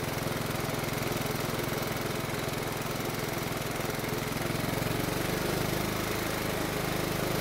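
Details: Riding mower that previously ran only with the carburetor choked, after carburetor work, choke moved toward run: steady, even single-cylinder putter with no hunting or surging at constant speed; running smoothly now.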